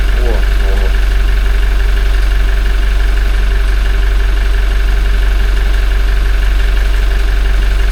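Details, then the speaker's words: Toyota 1GD-FTV diesel, 40,920 km, warming toward 40 °C on Lukoil oil before change to Ravenol: faint, very regular light rattle about three times a second over idle hum; quiet but present timing chain rattle. "Тихий такой достаточно. Но он есть."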